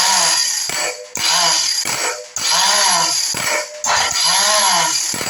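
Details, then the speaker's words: Norvil Commando motorcycle, starter motor sprag bearing failing to engage again after WD-40 fix lasted weeks: repeated short starter whirs rising and falling without catching, engaging only about half the time. "I'm going to press the start button and we can listen to that spray bearing and see about it failing to engage yeah that's it failure to engage"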